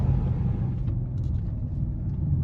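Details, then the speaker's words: 2012 Chrysler 300C after cam and lifter repair, newly fitted Corsa exhaust, driven at full throttle: deep, smooth V8 rumble, no cabin drone, barely heard inside, all out the back; healthy exhaust note. "No drone. Even we foot to the floor, I can't really hear it inside the car. You hear it all out the back."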